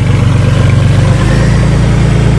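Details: 1994 Ford Taurus wagon running again after the rusted gas tank fell and unplugged the electric fuel pump, now refitted: deep, steady, even idle with a smooth low drone, no misses, knocks or ticks. Normal idle.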